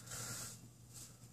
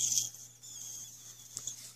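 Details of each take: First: Mr. Heater Little Buddy propane heater, model MH9BX, single element, just switched from pilot to high; soft even gas hiss, no popping or sputtering, blue propane layer burning off before it turns orange, normal quiet burn. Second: Mr. Heater Little Buddy propane heater: a thin, steady high hiss where the loosened propane cylinder meets the heater connector, with a strong propane smell; propane leak at cylinder connection.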